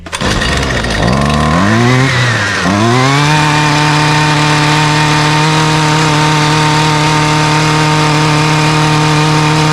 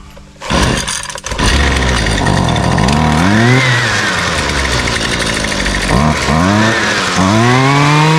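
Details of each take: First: Husqvarna string trimmer after servicing (spark plug gapped, checked for leaks, air filter refitted), choked, primed, at full throttle: it catches, surges briefly, then holds a steady, even high buzz with no misses; healthy. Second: Husqvarna string trimmer the customer reports won't run, primed and choked with switch on: repeated rising whirs from the recoil pulls with no catch or firing; the trimmer turns over but never starts.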